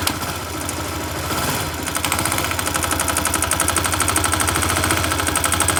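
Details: 167FMM engine: sharp metallic knocking about three per second over the engine, growing louder and denser as load comes on.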